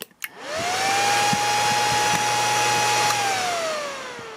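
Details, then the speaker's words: Chinese 24V 41.7A 1000W switching power supply with no load: after unplugging, a whirring tone climbs, holds high for about three seconds, then slides down; this UFO-like warble vanished with the fan disconnected, so it probably comes from the fan. "when i unplug it can hear some very strange noises from it i'm not sure if you can hear it"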